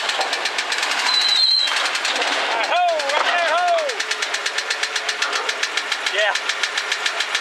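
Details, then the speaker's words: Vehicle being loaded for rescue on a road trip, engine running: rapid, uneven knock about three to four times a second over the running engine; cause not pinned down. "Yeah, it doesn't sound good."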